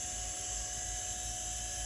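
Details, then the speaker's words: 1992 Olivetti M4-40 486 computer power supply on test, 5 V rail at 5.2 V and 12 V at 11.47 V: steady high-pitched fan whir with even tone, no rattle or wobble; power supply fan running normally. "this is a 5 volt and this should be spinning up and making a lot of noise"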